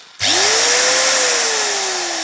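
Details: Bosch angle grinder after repair with new power lead fitted, front piece removed; clean steady high whine easing off slightly, smooth and even with no sparking crackle, grinder healthy.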